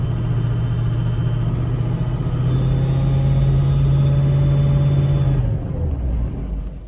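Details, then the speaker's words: 6.0 Powerstroke diesel idling after turbo seal rebuild: a whistling squeal over the rumble that changes with the exhaust, from an exhaust leak at a weak spot in the Y-pipe bellows, likely from moving the Y-pipe; Y-pipe to be replaced. "it changes with the exhaust of course it's a whistling squealing sound as i describe it"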